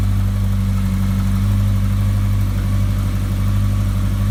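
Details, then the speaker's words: 2013 Honda CB1100 inline four with newly installed Wyvern 4-into-4 exhaust: deep, loud, even exhaust note with steady low drone, no knocks or misses, louder than before; normal running. "The bike runs good. I'm going to start it up right now. It's a lot louder than it was before."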